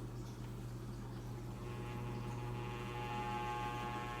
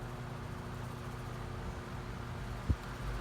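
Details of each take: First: Floor fan before cleaning and oiling: steady low hum with a constant buzzing vibration drone under the airflow; very noisy, cause unknown, blades need cleaning. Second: Floor fan on medium after oiling near the spinning shaft: quiet, steady low hum with no squeal or scraping, one faint bump; running much better, may still need more oil.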